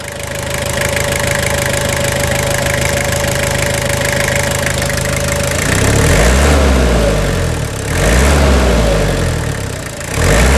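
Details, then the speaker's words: 2000 Toyota Hilux SR5 with 2.8 3L diesel at idle after replacing the upper cooling-system hoses, left running to check for leaks; steady, even clatter, revs up and drops back cleanly; healthy normal idle. "Vamos escutar só a sinfonia, essa melodia aqui. Na lenta, assim, na lenta da Garbosa."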